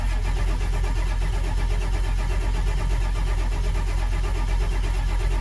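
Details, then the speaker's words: Ford Powerstroke diesel, cranking: starter turns the engine at an even steady rhythm but it never catches; main oil pressure comes up but injection control pressure only about 10 psi, too low to fire injectors. "there the main oil pressure came up but the injection pressure it's only like 10 psi"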